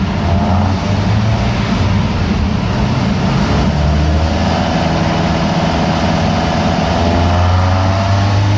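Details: VW Mk2 Golf GTI 1.8 16-valve with bike carb conversion, 140 main jets, warmed up on dyno rollers: loud clean full-throttle roar, pitch climbing steadily without misses; healthy 151 hp run.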